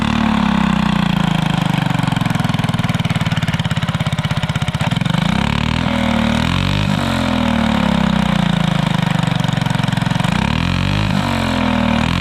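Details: Alcohol-fuelled 212 single-cylinder go-kart engine with new torque converter, fuel left in system three months, fires up and revs cleanly, revs climbing and falling smoothly with no misses or knocks; running healthy.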